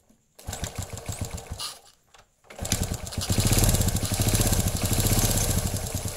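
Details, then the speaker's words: Honda Legenda/Grand/Supra-type motorcycle engine after replacing worn large and small timing chain rollers and slack timing chain: cranking bursts, then an even steady putter with no rattle; normal idle, smooth again. "Nah ini motornya jadi halus kembali ya, tidak ada masalah."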